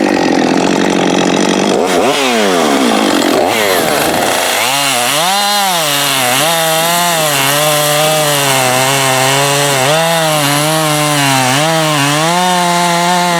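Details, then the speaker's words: Husqvarna 550XP Autotune chainsaw after case and seal rebuild, pressure and vacuum tested; starts first pull, revs crisp, drops to a steady even idle without bogging, stalling or overrun, warm restart first pull; normal running and idle. "w so that's a happy 550 starts first pull you can get it warmed up drop it right to idle it doesn't bog or stall"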